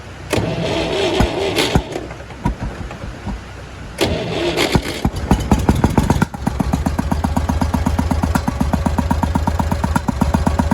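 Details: Massey Ferguson 135 petrol tractor cranks, catches and idles with an uneven, stumbling misfire; the cause is bad spark plugs, and all three are to be replaced.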